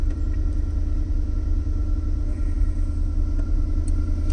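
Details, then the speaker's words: 2003 Cadillac DeVille DHS, engine cover off, under diagnosis for a running problem: cold start with a steady low droning buzz over the idle, not pulsing or knocking; secondary air injection pump running normally. "You hear that brrr noise? That's the secondary air circulation."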